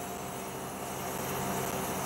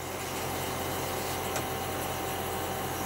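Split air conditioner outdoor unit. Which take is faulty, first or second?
second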